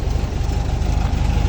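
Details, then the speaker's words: Cold air-cooled VW Beetle (vocho) engine idling just after starting: loud low chugging with slightly uneven beat, runs rough; owner says carburetor is dirty, jets likely clogged; transmission noise gone after topping up about a liter of transmission oil. "Está muy frío. Y el carburador está sucio, la verdad."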